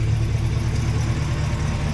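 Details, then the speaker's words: Freshly swapped Gen V V8 idling dull, held back and slightly uneven; the scanner shows about -20 degrees of ignition timing, the retarded timing causing the rough idle. "it just doesn't quite sound right it's really hard to explain what happens a scanner you're going to see this right here see burn where I lay a negative twenty degrees of timing"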